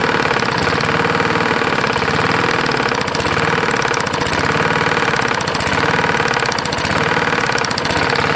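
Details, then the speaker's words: Roadside-found Lawn-Boy mower, 149 cc non-OHV engine, dirty oil, idling: loud single-cylinder beat with heavy regular knock unchanged when bail is pulled; owner unsure whether rod knock or other fault. "so when you pull this in nothing gets louder so i'm not quite sure the oil is certainly is shitty i'm gonna let it run a little bit yeah i can't tell that's a rod knock or if something else is screwing up on it"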